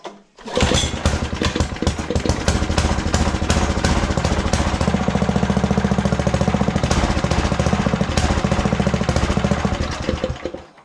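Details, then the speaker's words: Craftsman 17-inch rototiller, model 917294484, Intek engine. The small single chugs unevenly at three to four beats a second, surging and stumbling, and dies when run up; dirty carburetor needing cleaning. "so yeah as soon as you go back to run it just dies out so carburetor needs to be cleaned"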